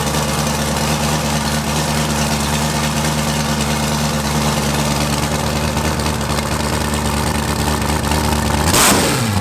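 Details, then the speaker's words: Eight-turbo V8 Mustang on first start after only an exhaust change, wastegate flappers open so exhaust bypasses the turbos, recorded in a closed garage: deep, even V8 burble at steady idle with one sharp pop or backfire near the end; running fine. "Dude, that sounds different than anything I've ever heard ever. Way different than the 4-turbo Honda. Yeah, that sounds like it's angry."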